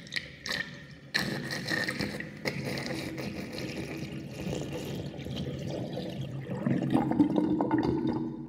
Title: Interesting drain with sinkplug 38.5 mm with whirlpool and gurgling sound (1)